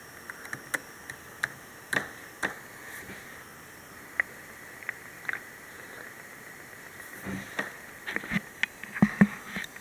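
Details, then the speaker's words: Dell Precision M3800 laptop with SSD, plugged into power: faint irregular static ticks and crackles over a high whine near the power adapter plug, changing with SSD access; pitch varies with screen brightness, and the noise stops when unplugged. "You can hear the sound changes as a pattern of access to a hard drive changes."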